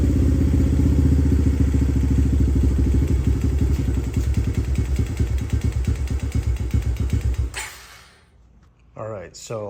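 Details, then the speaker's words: 2017 Honda TRX250X (believed), choke fully on, two pumps of throttle: single-cylinder thumping at about four beats a second stumbles and dies within seconds; off choke it needs constant throttle; stalls after starting. "although it does start it does not stay running that's with the carb choke fully engaged and with the choke off I have to continue to give it gas"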